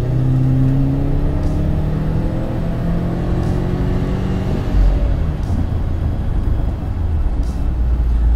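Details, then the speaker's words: Roughly 500 hp Subaru Forester, warmed up, pulling hard as heard in the cabin. The deep note climbs smoothly with no knocks or misses; normal acceleration. "when it switches gears it just odd just has this wonderful transition noise and it just it sounds so good I really like it"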